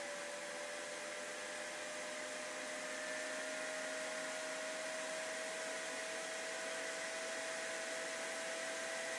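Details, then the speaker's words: PC with GTX 760 under Unigine Valley benchmark with GPU in the 60s °C, all fans ramped up; steady high whine over loud rushing airflow, noise seemingly from CPU cooler or GPU fan curve; loud high-pitched fan noise under load. "worse than before cpu and that's really the noise is coming from it's for whatever reason maybe I have to adjust the fan curve on the graphics card"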